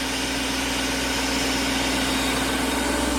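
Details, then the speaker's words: BMW E34 5 Series V8 manual at operating temperature after cooling system refresh with new belts and pulleys: steady smooth idle while turning the wheel, no squeal or ticking, screeching gone, no leaks; normal healthy idle. "Got it up to temp, running smoothly, turning the wheel. No more screeching. Beautiful."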